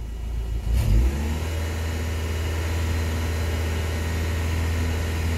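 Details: K-Series engine after coolant refill, stationary with temperature gauge rising slightly; throttle blipped sharply to a clean rev to move coolant, then settles to a steady, even idle with no misses or odd noises. Normal revving.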